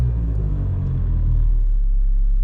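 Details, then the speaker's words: Mazda 3 with worn engine mounts, just started: heavy low rumble and shudder at idle, a very significant rumbling; worn engine mount. "well just started up the car and i don't know if you can hear it has a significant rumbling"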